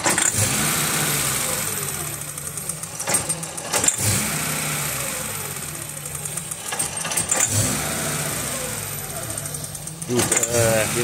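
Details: 1995 VW T4 2.5 L ACU engine at 87°C warm idle with a new lambda probe: surging, sagging, stumbling every few seconds near stalling. The old probe stalled it at once; rough running starts at about 83°C, cause still unfound.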